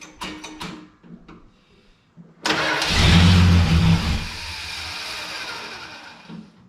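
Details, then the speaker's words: A few starter clicks, then the engine catches on starting fluid, revs hard and dies within seconds: 1968 Dodge Dart slant six, 18 years off the road, dirty fuel system, not getting fuel to keep running. "All right, let's fill that carburetor back up and give her another try."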